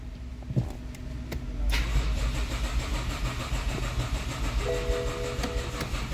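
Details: 2013 BMW 3 Series after engine replacement and new fuse box and fan controller modules: starter cranks briskly and evenly but never catches; crank no start, with supply terminal and injector supply voltage short-circuit codes suspected.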